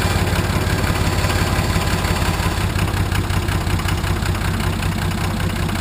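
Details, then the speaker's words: Nissan SD33 turbo diesel in a 1980 International Harvester Travelall, started after oil, fuel and air filter service: deep, steady, even idle clatter with no knock or misfire, sounding good; oil pressure present, possibly slightly rough from air after fuel filter change. "Oh, wow. Sound real good. Real good."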